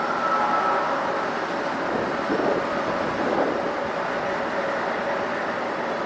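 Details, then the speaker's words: Cooper-Bessemer GMV-10 1350 hp gas-compression engine at about 297–300 rpm, compressor fully loaded, heard in compressor building. Deep steady slow thrum, even with no knocks: running normally under load. "So now the compressor is fully loaded, and we're going back into the compressor building to monitor how the engine's running, and she's purring away."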